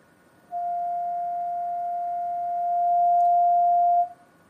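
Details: Audio generator keyed through Linrad over network after IIR filter fix: single clean steady ~700 Hz tone for three and a half seconds, no hum; fixes hum artifact caused by single-precision IIR filters.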